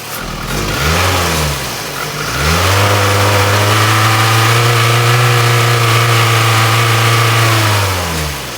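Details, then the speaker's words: Toyota RAV4 petrol engine revved by the throttle cable: rises slowly and hangs at a flat modest rev, low power; dark carboned plugs showed rich running, fixed by replacing the fuel pressure regulator. "It accelerates poorly and it has low low power because I see that these um the spark plugs are they have carbon on them. They're dark. That tells me that it's getting too much fuel."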